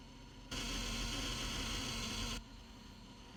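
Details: Truck won't start; check engine and battery lights flicker, then a harsh electrical buzz for about two seconds that stops abruptly. Battery tests 13.8 V and cables checked; jumping direct to starter also tried. Buzzing with no start, cause unknown.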